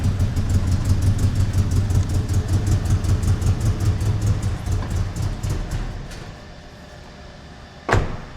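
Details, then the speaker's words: Engine with about 395,000 miles and 20-year-old injectors, just reassembled with vacuum lines and airbox refitted, runs lumpy and uneven at idle, about two beats a second, then fades and dies; a massive vacuum leak is suspected rather than coils. "Chat GPT was like, "It's most likely not your coils." Huh? Chat GPT says most likely not my coils. Google Gemini says probably a massive vacuum leak."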